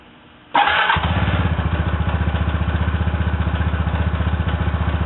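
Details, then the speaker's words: Zuma 125 scooter after a variator upgrade, on its center stand after weeks without running: catches at once and settles into an even, steady thump at about four beats a second; a healthy start and idle. "start the bike let it run right here on a center stand make sure all of this function is with no binding"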